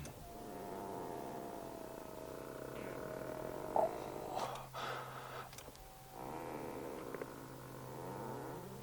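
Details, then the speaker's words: Smart #1 Brabus dual-motor electric SUV interior: low, drawn-out rasping squeak lasting a few seconds as the seat slides back, over a quiet hum; the Brabus seat upholstery material rubbing, an embarrassing squeak. "The material on these Brabus seats make an embarrassing squeaking sound when you move the seat back."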